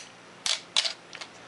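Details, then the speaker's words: Canon AE-1 Program 35mm SLR (1981) with a 50mm f/1.4 lens, stepping down through shutter speeds from 1/1000 s. Two crisp shutter clicks about a third of a second apart, then light mechanism ticks. The shutter fires cleanly. "but let's step down through the shutter speeds are already got it cocked and will start at one one thousandth of a second"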